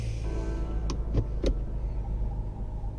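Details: Range Rover fitted with Starline i96 immobiliser, started after putting it into valet/service mode: low steady engine rumble with a few light clicks; normal idle.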